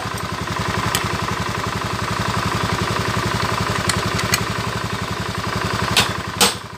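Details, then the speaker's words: Scooter CVT after fixing a noisy drive belt rubbing inside the cover, cover refitted: steady even idle pulses with no scraping from the belt drive; the transmission now sounds smooth. "nah ini langsung halus ya nah [Tepuk tangan] nah Langsung halus suaranya ya"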